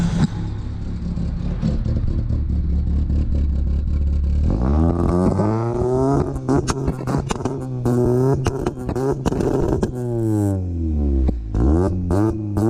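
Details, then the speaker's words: Honda Civic EF first start-up after build: engine held against the two-step launch limiter, revs bouncing in rapid bursts with sharp crackling pops, then climbing and falling; crisp, healthy two-step. "So, hey, that two-step actually sounds nice as... I'm not gonna curse on TV, but hey, I don't know how to express this."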